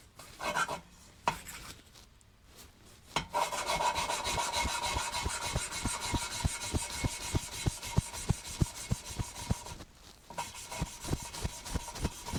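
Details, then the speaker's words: Cylinder head valve lapped by hand with coarse grinding paste and a sucker: a rhythmic gritty rasp, about three strokes a second, smooths out as resistance disappears. The seat is bedded in with a uniform grey edge. "See that the sound's changed. There's no resistance now. It's sliding around beautifully on that."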